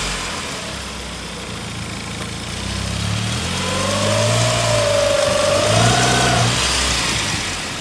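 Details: 2002 Saab 9-5 Aero engine under load reversing or driving up a kerb, with a burning/rubbing smell: wavering whine rising and falling with revs over engine hum; abnormal extra noise, source unclear.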